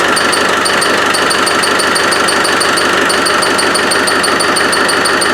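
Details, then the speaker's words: Land Rover 110 with a 300Tdi diesel; engine, gearbox and transfer case were rebuilt last year. At idle, a sharp high chirp repeats evenly about twice a second over the diesel clatter; the source is not yet identified. "and uh it's developed to squeak and I don't know what it is and Jeff doesn't know what it is so we brought it down and uh let's listen to it"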